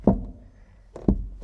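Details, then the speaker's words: Fiat Dino being troubleshot for a suspension knock: stressed, stretched body sheet metal pops in and out on its own, giving three hollow dull thunks in about a second and a half. Tin-canning panel. "So it's what we call tin canning, when you've got a stretched piece of metal and it pops in and out, just like on a tin can."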